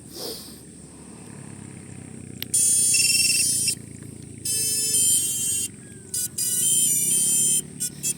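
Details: SpeedyBee Master 3X RTF FPV quadcopter (Assist Flying C157 3650 kV motors, SpeedyBee F405 FC, O3 camera, BN180 GPS) at its pre-shipment test: after battery connection, a few clean rising chime beeps in quick groups, the normal motor-controller startup tones.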